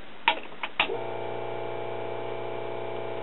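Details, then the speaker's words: 1966 Collins/QRK 200S 12-inch 3-speed broadcast turntable motor, power-up test after cleaning and lubricating hardened old grease from motor and platter bearing, resting on workbench: clicks at switch-on then steady even low hum with faint bench buzz; runs smoothly. "not bad at all this thing would be quieter if it wasn't resting on my workbench"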